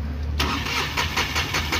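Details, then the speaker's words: Mahindra Supro diesel with code P0201 and a loose common rail sensor coupler that must be pulled to start: quiet, then a pulsing, uneven chug as it struggles to catch. "Common rail का ढला उसको खींचना पड़ता है तब जाक start होती नया कपला लगा दे तो बढ़िया है"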